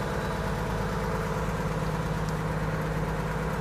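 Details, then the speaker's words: 1950 Chevy truck "Stinkbug" after floor rust repair, given a splash of fuel: starts right up and settles into a steady, even idle with a smooth low beat, no misses or knocks; normal idle. "All right, well, I put a splash of fuel in it. I mean, it starts right up."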